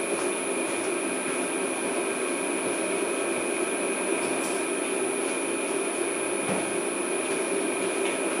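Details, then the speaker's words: Original 1941 Westinghouse 1 HP three-phase motor from a 13" South Bend lathe, after new bearings, run on a VFD: smooth steady hum, clean even high tone, no rumble, growl or knocking; motor and bearings healthy. "I'm just going to give it a quick little bump okay no problems there we're gonna let it run oh yeah smooth and quiet that's where I like"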